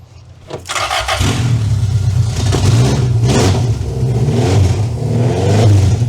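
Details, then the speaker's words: 2-liter engine newly installed in a van, first start after sitting about 18 years: catches after brief crank, then runs and revs unevenly with a ragged stumbling beat; rough running, oil old and low, needs tuning. "Oh. I don't think this feels extremely good. I don't think that's the case. This motor hasn't ran in, he said, about 18 years."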